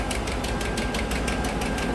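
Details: 2015 GMC Sierra 1500 Denali 6.2L at idle: sharp ticking about five per second, passenger side, no miss. First suspected a broken valve spring, but it turned out to be a bent, broken No. 6 intake pushrod.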